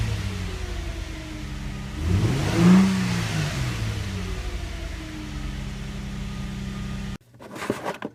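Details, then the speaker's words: Infiniti G35/Nissan 350Z starting after fuel pump replacement, fuse reinstalled; starter turns briefly, engine catches with short rev flare, settles into smooth, even idle, no misses; normal start and idle. "Now you can try starting the car. It might take a second if, since everything's been disconnected, you can even prime the pump a few times."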